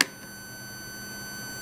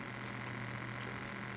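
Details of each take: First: Sansui SE-9 graphic equalizer repair: continuity tester on switch contact pairs gives a clean steady beep, most contacts conducting well; only two switches need cleaning. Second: Small DC motor in a Sansui SE-9 graphic equalizer under repair, running at 3.5 V and 1.5 mA: faint, even buzzing hiss with a thin steady whine. The brushes are worn and the commutator is marked; brushes need replacing.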